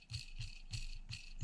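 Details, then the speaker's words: Losi DB Pro differential bearing spun by hand: dry, gritty rasping in short bursts about three per second; worn, gritty bearing, to be repacked. "so you can see on this one right here just how nasty it is it's very gritty hear that"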